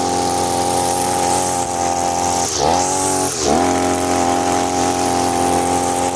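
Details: Side-mounted brush cutter (mesin rumput samping), new from the shop with factory carburettor mixture screw too loose: steady high buzzy two-stroke drone with two brief sags in revs, sounding overly rich; wastes fuel and lacks power, most noticeable with nylon line.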